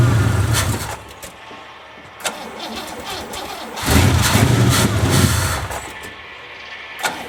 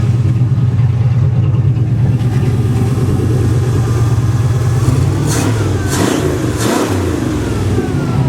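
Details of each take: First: 1963 Oldsmobile 88 on a cold day, whose small tank had run dry: repeated bursts of cranking at about four turns a second catch briefly and die. It won't stay running, and the choke is suspected to be faulty. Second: 1963 Oldsmobile 88 V8 warming up with thermal choke opening, after fixing a loose fuel line sucking air: deep, even rumble, throttle blips climbing and falling cleanly with no stumble or hesitation; running healthy.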